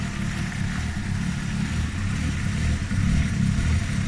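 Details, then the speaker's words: Fox-body "Stitch" with single-barrel carburetor, idling with the bowl being checked after bogging under gas; low, lumpy note rising and sagging irregularly; idle surging, owner suspects a vacuum leak, vacuum lines still to be traced. "Now can you hear it surging like that? That's indication of probably a vacuum leak, to be honest."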